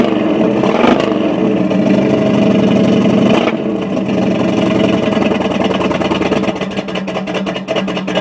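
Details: Chevy 350 V8: loud, uneven, lumpy beat at roughly four pulses a second as it revs and settles, sounding like it is missing on a cylinder; misfire suspected, cause not confirmed.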